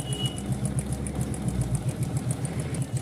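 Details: Motorcycle (Glamour/Splendor type) still giving khat-khat noise after a new timing/cam chain was fitted: quick light ticking over a steady low idle, cam chain slapping because the cam chain tensioner spring has failed.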